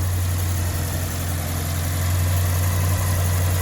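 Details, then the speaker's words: Peugeot 205 GTi 1.9 at warm idle, engine bay: a steady, even low hum with no whine, knock or tick. A whine after startup is heard only from under the car, which the owner suspects is the fuel pump; the engine bay is normal. "you can't hear the whining under the bonnet."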